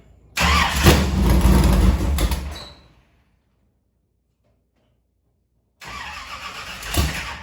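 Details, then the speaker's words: V8 in a Harris race car sitting a week and a half, cranked to refill fuel line after fuel cell work: cranks and catches at once, revs crisply then settles after a pause to a strong, even lope; normal start and idle. "we're gonna go ahead and crank it just to make sure we get fuel up into the fuel line for where we had it unhooked"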